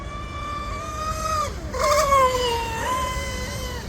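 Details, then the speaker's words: CozyRC M700 Mono RC boat on 6S with a TP3640 2300kV motor and an ABC1615 2-blade prop, at speed-run high RPM. A high whine wavers and dips and sounds unhealthy. The RPM is suspected to be too much; the cause is not found. "I don't know what that was, but didn't sound healthy to me. Maybe this RPM is just too much."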